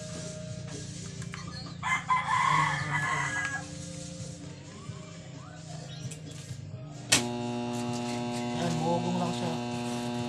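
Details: Washing machine motor gives a loud steady buzzing hum but won't turn; capacitor tested and found faulty, to be replaced.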